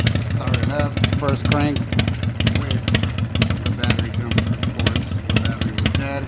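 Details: 1982 Harley shovelhead project on open straight shotgun exhaust pipes: an even, loping potato-potato beat of about two pops a second with sharp exhaust cracks; a healthy V-twin idle.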